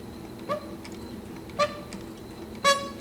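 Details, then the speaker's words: Juki LU-1508N walking-foot sewing machine converted to 190 needle system, size 20 needle, sewing six layers (about 1/2 inch) of leather: short high squeak once per stitch at slow speed; throat plate rubbing the feed dog. "When I go a little faster, I don't hear it. Okay, the squeaking just was from the throat plate rubbing against the f"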